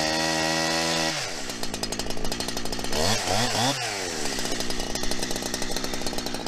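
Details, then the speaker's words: New Holzfforma 372XP chainsaw with 28-inch bar, first run and cut; high buzz that bogs and surges, won't reach high rpm; owner suspects it needs carburetor tuning. "sounds like it needs some carburetor tuning i'm sure you could hear it there it just doesn't want to seem like it wants to get into that high rpm"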